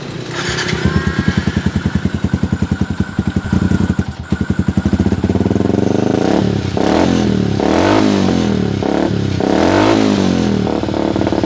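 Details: Yamaha Xabre fuel-injected motorcycle stumbling at idle and dying on slight throttle: uneven three to four pulses a second, ragged faltering revs; AFR above 16:1, lean; fix is cleaning injector, fuel pump filter and throttle body, broken O2 sensor wire also resoldered.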